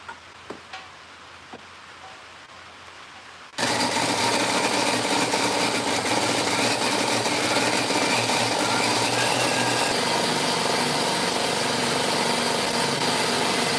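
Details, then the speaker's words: DeWalt D55168 15-gallon oil-less compressor after new piston and flywheel shaft realignment: the pump runs with a steady, even clatter and ring hiss, reaching about 170 psi faster than before; pumping normally. "okay that kind of hissing noise you hear that's the ring so I think we've got about 170 psi"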